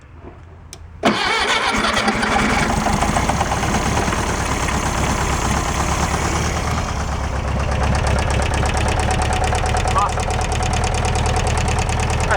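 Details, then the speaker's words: 1966 VW Beetle air-cooled four being revived after a stuck valve was freed, valve clearance deliberately set very loose and valve cover off: fast, loud clacking ticks locked to idle, from loose valve lash. "I put a bunch of valve clearance in here I got about 4 or 50,000 so it's going to Clack away but that's fine"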